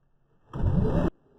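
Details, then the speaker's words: Hotpoint/Indesit VS S15 AAW steam vacuum switched to vacuum mode: a short, steady motor whirr starts cleanly and holds an even pitch for half a second before stopping. The vacuum motor works well, though the brushes are unchecked. "It appears to work quite well. The only thing I haven't checked is the brushes."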